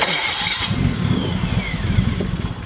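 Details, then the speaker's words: Nissan Skyline after replacing its 30-year-old starter: brief crank, then the engine catches almost immediately and settles into a steady idle; quick, healthy start, though a vacuum leak remains. "It started fast. It's working."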